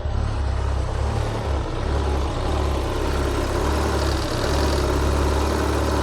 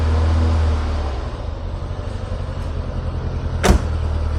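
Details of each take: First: Citroen BX 16-valve after a repair that fixed a long-standing fault where it was over-injecting fuel: it starts into a smooth, even low idle with no misses; running much better, but fueling still needs re-adjusting. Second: Citroen BX 16V started stone cold at wide open throttle before repair: lumpy, uneven chugging with irregular stumbles, spluttering and lots of smoke; flooded and misfiring from a leaking fuel pressure regulator.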